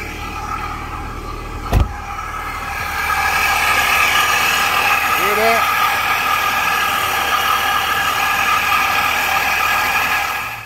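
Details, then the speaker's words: Dodge Challenger, about 540 hp, with RIPP supercharger: engine running with a harsh, steady high whine and hiss louder than normal; a leak found somewhere on the supercharger and hose. "let me show you how it sounds now oh man this thing sounds terrible listen to this"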